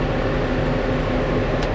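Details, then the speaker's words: Restored IH Dresser TD-25G dozer diesel running on a 65° day with AC on, blowing about 45° air; the compressor audibly pulls the engine down slightly while the rumble stays steady and smooth; healthy running. "it is cooling down nice and cold it's only about 65° today so I believe we got her hear the compressor pulling the engine down a"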